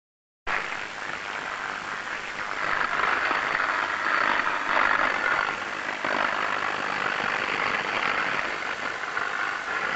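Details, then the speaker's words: Electrical cabling scanned with ultrasound during inspection: dense, irregular crackling and sizzling, steady throughout, from electrical tracking; thermal imaging confirmed the source and visual inspection showed heat burn marks. "so you could hear these crackling sounds that sounds a don't sound normal and again pointed into some cabling"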